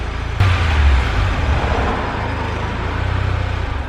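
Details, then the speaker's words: Mitsubishi Galant VR4 (4G63) after accident salvage repair, first drive up and down the driveway: even, smooth run with a deep steady exhaust note, no knocks or ticks; sounds like a 4G63 should, normal running. "Nope, sounds good. Sounds like a 4063 is supposed to sound."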